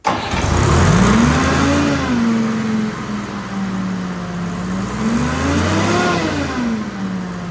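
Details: Detroit 3-53 two-stroke diesel in a padfoot roller, revived after sitting in the elements for years; throttle not yet figured out. Catches and runs, pitch rising and falling with throttle blips, firing evenly without misses; healthy normal running.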